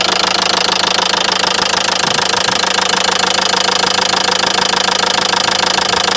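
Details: Renault Megane 3 diesel at idle: sharp, very even metallic knock about 200 per minute that appeared suddenly after idling a while; clear internal knock, source unknown.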